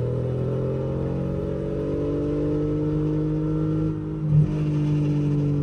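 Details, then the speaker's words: Mercedes W210 E320 sedan, 4-speed automatic, run after sitting over a month, with new conductor plate, fresh fluid and Transgo shift kit. Engine drones at high steady revs with no upshift and no check-engine light. Owner suspects a solenoid, not the valve body; cause unconfirmed. "y'all see that it's not it's not shifting at all it's supposed to be one two three four this is a four damn speed training"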